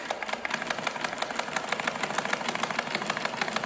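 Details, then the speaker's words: Sewing machine turned by hand, tight and barely rotating: rapid dry clatter of about three knocks a second, uneven and rattly over a thin whir. Thread is suspected to be stuck in the shuttle or the wheel. "अब ये machine देख रहे हैं आप, ये बहुत tight है कि ये घुमाने से भी नहीं घूम रहा है। इसका कारण क्या है? या तो हमारे सेटल में धागा है या चक्के के अंदर धागा फंसा है।"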